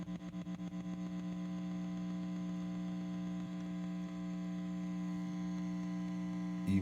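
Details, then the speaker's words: 1965 Fender Deluxe Reverb amp: steady hum with a faint fast tick about four per second, still audible with tremolo speed and intensity turned down; tremolo tick, later fixed by relocating wires. "with the speed and intensity done you can still hear it so that's gonna be something we'll try to address them"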